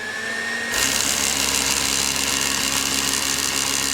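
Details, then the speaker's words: Roborock robot vacuum, serviced and held by hand during spot clean: quiet, then suction fan kicks in within a second to steady, even high-pitched rush; fan spinning up normally. "Oh, I'm going to try to hold it so it won't run away. There's the fans going."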